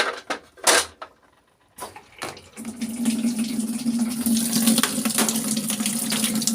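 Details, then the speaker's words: LG top-load automatic inverter washing machine after a part was replaced for very weak water fill, set to wash; a few clunks, then a steady strong rush of water with a firm hum, normal flow restored. "narinig moung tubig malakas na o yan normal na ano niyan na flow"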